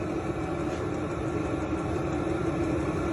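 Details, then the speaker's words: Vevor diesel heater on a test run at full blast, started at 39 °F, exhaust pipe reaching about 133°: even, steady blower roar with constant mid hum and no surging, with slight fuel pump ticking under the fan; running normally. "You can hear a little ticking from the fuel pump, but mind you, this unit would probably in a camper be mounted in your storage bay. The exhaust pipe would be outside, so you're not hearing this, and you would just have this breeze coming through."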